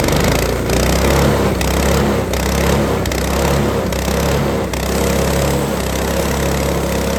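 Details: Lifan 7hp (Honda GX200 clone) single-cylinder on a Frontier OS18 sawmill, after fixing zero compression from a head gasket blown by one loose bolt: loud, steady drone dipping slightly as the blade bites very dry, hard ash on a sub-par blade; strong, normal under load.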